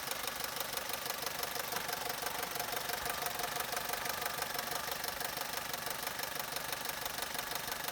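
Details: Opel/Vauxhall Corsa 1.2 Z12XEP 80 hp petrol engine at idle with a fast, even metallic rattle on top of its running sound; timing chain noise suspected, not confirmed.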